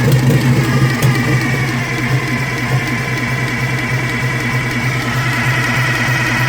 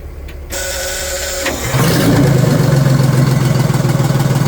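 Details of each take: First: Detroit Diesel in a vintage abandoned GMC truck fires and runs unevenly about ten seconds, smoking throughout, then sags and dies; doesn't sound like a Detroit; air-starved because the intake shutoff is stuck closed. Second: Old Detroit Diesel two-stroke in a vintage GMC truck, restarted on fresh fuel with the fuel filters removed: the starter cranks briefly, catches at about two seconds, then settles into a steady, even idle with a low rhythmic clatter.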